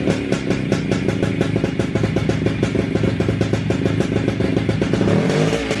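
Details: WSK 125 two-stroke motorcycle, engine rebuilt and refitted in the frame, at its first start after the overhaul. Crisp, rapid, even popping with a small blip near the end; normal healthy running.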